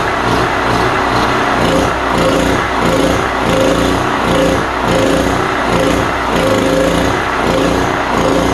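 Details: Cheap import generator small engine runs rough, hunting about 90 times a minute, only on choke; a plugged carburetor is suspected and will be cleaned.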